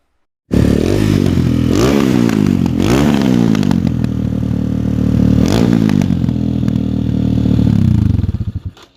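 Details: Pit bike single-cylinder engine, non-running until carburettor cleaned and valve lash set, fires straight up and revs freely, rising and falling smoothly without stumbling before shutting off; runs healthy after repair.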